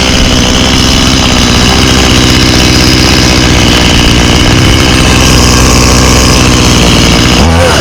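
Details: 1991 Stihl 018C chainsaw started on half choke for the season. A crisp, busy two-stroke buzz holds steady and picks up cleanly when revved; it runs healthy.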